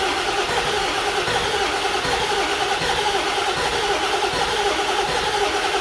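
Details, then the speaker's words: 7.3 Powerstroke diesel truck cranking steadily without starting after HPOP work; compression is enough but it won't build oil pressure to fire the injectors; crank no start, low injection control pressure. "So the good news is we have enough compression for the engine to run. The bad news is it's still not building oil pressure enough to fire the injectors."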